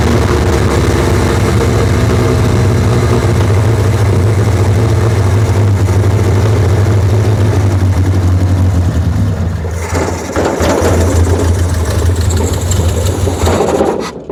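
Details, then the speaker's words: 1976 Triumph Spitfire 1500, dormant for years, first start on a temporary fuel supply. The carburettor has never been adjusted. Low, throaty idle sags and stumbles near ten seconds, then recovers and won't hold steady. Unsteady idle, cause unconfirmed. "still doesn't want quite idle well carburetor has never been adjusted"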